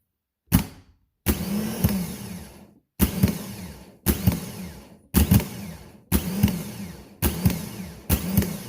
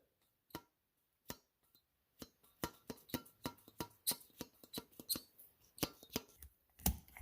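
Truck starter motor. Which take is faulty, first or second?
second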